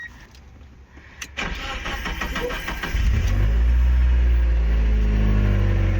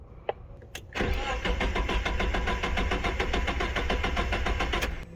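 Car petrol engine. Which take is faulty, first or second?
second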